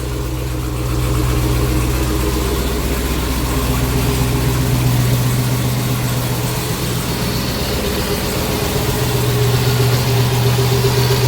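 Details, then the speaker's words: Custom twin-turbo Hellcat V8 with Comp Cams camshaft, cold start: deep, even burble at idle, steady and quiet with slight turbo noise and a little cam lope, no knocks or misses; healthy smooth-running engine. "this is a cold start but as you guys can hear run pretty smooth you hear the turbos a little bit"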